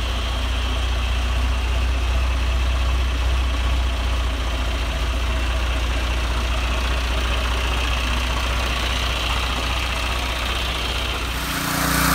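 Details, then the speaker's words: John Deere 2040 tractor diesel after the water pump rebuild, with new hoses and fresh antifreeze: a steady, even idle with no water pump noise and temperatures staying cool. "water-pump fixed new hoses on it full of antifreeze and it runs great temperatures nice and cool and there's no noise coming from the water pump"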